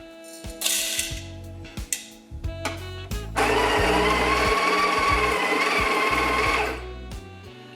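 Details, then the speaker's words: Breville Smart Grinder Pro after repair, grinding espresso beans at setting 14 (down from about 17-18): coarse, steady grinding under a bogged motor hum; the motor strains and struggles a little. "struggling a little bit guys"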